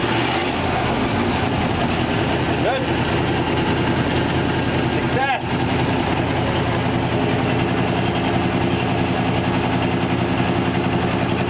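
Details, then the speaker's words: 1934 Ford 5-window with a carburetor, running after fuel system work and a replacement gas tank; steady, quiet low idle with an even rumble and no knocks, ticks or misses; normal idle. "i can't believe how quiet the engine is in this thing after we got it going"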